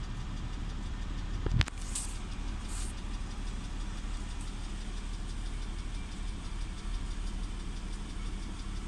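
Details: BMW E91 330i, N52B30 engine: a low, uneven idle with an irregular stumble and shake, plus throttle blips; fault code shows combustion misfire on cylinder 6, occurring at a low fuel tank level, unchanged after new Bosch spark plugs; cause unknown.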